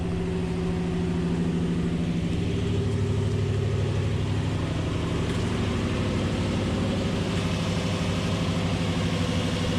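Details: 2005 Nissan Titan idling right after an in-tank fuel pump rebuild with a Walbro pump: steady, even low rumble with no misses, ticks or knocks; engine runs smoothly and sounds healthy.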